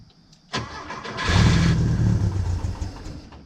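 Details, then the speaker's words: Porsche 914, first start attempt in years: uneven cranking that swells briefly without settling into an idle; no fuel delivery because the fuel pump relay was missing. "okay well again the fuel pump wasn't pumping so before I assume it's the fuel pump let me do a quick Google search and lo and behold right back there it's missing a switch the fuel pump relay switch"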